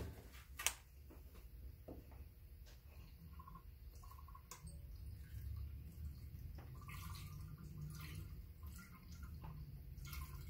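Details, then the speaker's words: Polaris 500 overheating: quiet irregular gurgles and drips as trapped air bubbles out of the coolant lines while the radiator is topped up during bleeding. "I keep filling this and if you listen closely you can hear the air gurgling out as they do"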